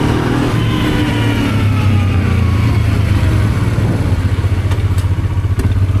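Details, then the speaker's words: Honda Transalp 650 V-twin on its first start after reinstalling professionally rebuilt carburetors: a strong, even note pulling cleanly as revs rise and fall with no misses, pops or stumbles, running perfectly. "And now it's time to give it a test run. And it runs brilliant as you can see in the video."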